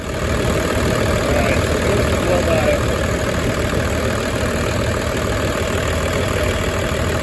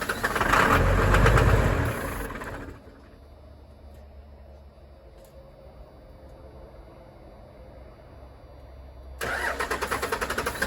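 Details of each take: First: 1996 Dodge Ram 2500 12-valve Cummins diesel, sat seven years, restarted after priming fuel system with lift-pump primer: even, steady diesel clatter at idle, no misses, knocks or hunting; healthy idle. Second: 1996 Dodge Ram 2500 with a 12-valve Cummins, sat seven years. Strong even cranking at about three beats a second that never fires. Bleeding the injector lines and lift-pump lines gave no fuel: lines plugged or no fuel.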